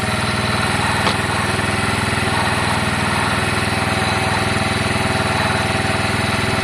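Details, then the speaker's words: Piaggio Fly 125 scooter with ongoing running issues, owner suspecting dirt from the fuel tank and the carburetor: steady single-cylinder idle thumping about four a second with no misses, surges or knocks. Normal idle, much better and happier than before. "yeah that's fine that seems much much better to me it's much happier"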